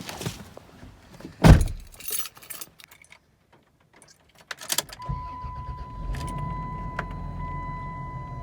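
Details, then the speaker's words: Car "Vicky" next morning, in rain, after JB Weld repair of the motor mount bracket bolt holes and a new belt: quick crank and smooth steady idle with a cabin chime, no belt squeal; squeal appears fixed. "Oh, sounds good. Sounds good. No complaints with Vicky."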